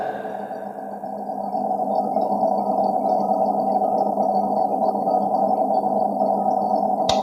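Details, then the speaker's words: Chest freezer not cooling, blamed on low household voltage: steady fan hum with no compressor pulling in, then a sharp overload protector click; compressor does not run and is seized. "di sini sudah ada pletek ya, ada suara pletek. Tetapi ini ada suara kipas fan hidup ya di sini ya. Tetapi untuk masalah kompresor dia tidak hidup."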